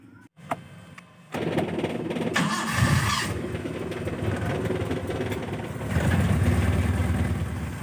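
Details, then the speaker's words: Engine started after replacing and setting the contact points (platina), timing set at about 8 degrees before TDC, rotor and coil lead refitted: short crank, then it catches and settles into a steady, even idle. Normal engine start. "Oke jadi seperti itu cara menyetel platina tinggal kita tes kita starter ya"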